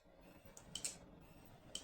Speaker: Первым делом мы, конечно же, послушаем диск, у которого неисправны модули прошивки. А, как мы видим, он сокает у нас равномерно. Никакого скрипа у него нету, никаких поскрипований, никаких свистов.